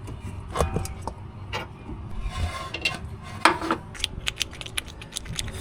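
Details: Honda/Acura front suspension with a clicking noise when turning, misdiagnosed as needing axles: sharp, irregular clicks and clacks as the loose link is worked by hand; a worn-out ball joint in the sway bar link.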